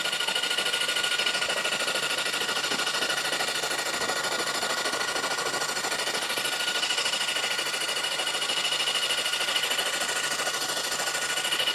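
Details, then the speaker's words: Freed-up seized 1973 Honda CB750 four-cylinder engine on the bench, cranked by its starter after ATF soak: fast, even whirring crank with steady chuffing, no binding, ATF still blowing out; engine cranking freely. "Oh, still coming out. Well, that starter's a champ."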